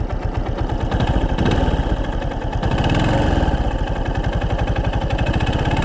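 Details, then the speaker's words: 2024 Yamaha Fazer 250 at 65,000 km: steady idle with a hard, evenly spaced low knock keeping time with the engine. Owner suspects a connecting rod bearing from hard riding and engine heat; not confirmed. Engine knock. "eu não sei mas eh como que se diz não tenho certeza mas eu creio que é o rolamento da biela cara Vocês entenderam rolamento da biela"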